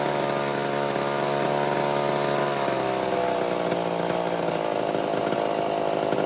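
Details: 1978 Homelite XL12 two-stroke chainsaw, started after years of sitting, firing on the fourth or fifth pull. It holds a steady, even buzz and settles lower without stumbling, though it was slightly lean and bogging at first. Healthy.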